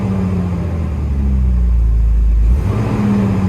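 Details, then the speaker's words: Jeep inline six-cylinder after home compression test (about 135 all cylinders, cylinder 4 at 140), check engine light on: starts right away, steady deep note rising smoothly with a rev and settling back, no sputter or misfire; running clean. "And yeah, there's no misfire there. You would have heard if you accelerated, but so all is well there."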